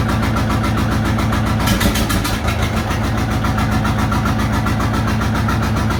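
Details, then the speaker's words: John Deere 830 Industrial two-cylinder diesel, first run in 20+ years, warm after ~20 minutes, in high gear with brake applied and clutch released: steady even beat about 220 pulses a minute holding firm under load; both cylinders firing, normal. "So he just put it in high gear, applied the brake, and let the clutch go. Put it under load to see if it's hitting on 2, and you can tell it is now."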